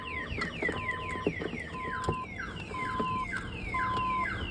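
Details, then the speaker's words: 1992 GMC Sierra 1500 Z71 with a newly installed Viper 5706V alarm, repeating falling siren sweeps alternating with steady tones; triggered alarm sounds until disarmed. "the alarm will go off until you disarm it"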